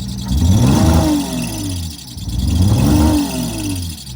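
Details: 20E engine after fitting a new sensor, with a small air leak tightened. Revs still swell and sag about every two seconds instead of holding steady. Hunting, uneven running persists; the cause remains unknown.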